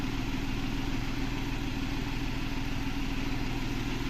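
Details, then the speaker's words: Renault Kwid with cylinder 3 misfire, low pickup and check-engine light, idling with the AC on after a fuel pump change: low thrum with an uneven stumbling beat and dropped pulses; misfire under AC load, normal with AC off. "AC चलाती फट फट फ miss fire कर रहा है अच्छे से"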